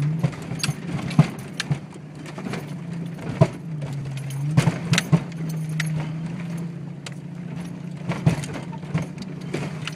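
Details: Jeep XJ in 4x4: sharp, irregular clunks, several every few seconds, over a low steady engine drone. The front end is tight and all U-joints are good; cause not yet found.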